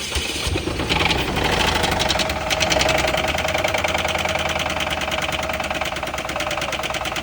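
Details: Chevy HHR bought at auction with a bad rod knock, idling while groceries such as lemonade and cereal are tried as a remedy. A sharp, rapid metallic knock runs at about four a second, a classic bottom-end rod knock.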